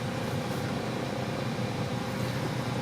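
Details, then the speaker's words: 1999 Toyota Corolla heater blower on low speed. Rushing air over a low hum, with the motor vibrating. The noise grows louder after a few minutes of heater use and is inaudible on high. Worn blower motor, to be replaced. "I'll put in low. Yeah, definitely I could hear the sounds. It's vibrating."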